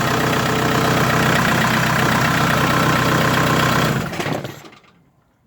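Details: Renault Scenic 1 1.9 dCi diesel idling after fuel filter replacement and bleeding. Even diesel clatter ticking about four times a second at a steady idle, no misses or hunting, then fading away; healthy running.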